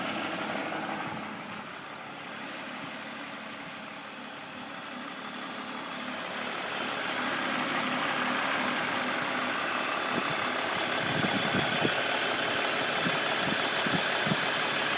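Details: BMW M54B25 at warm idle: even tapping about four per second, heavier toward end, located front right; appears only after warm-up; VANOS ruled out, diagnostics normal; owner wonders about chain, cause unconfirmed.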